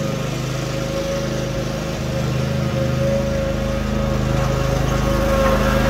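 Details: Cub Cadet RZT-50 zero-turn mower engine after crankshaft seal replacement and new aftermarket carburetor (original freeze-damaged): steady even drone with smooth regular beat, holding speed without stumbling; running normally.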